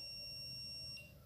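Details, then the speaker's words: Samsung UA28J4000AR LED TV, dead, abnormal power output: a multimeter continuity test gives a steady high beep then a chirp on good parts; the 33-ohm resistor gives no beep and is suspected open. "Nah kalau 33 Ohm seharusnya meter ini bunyi seperti itu ya kalau diukur seperti ini nah ini tidak ya Sedangkan ini yang yang 193 masih tetap bunyi ini dan yang 0 Ohm dia pasti bunyi"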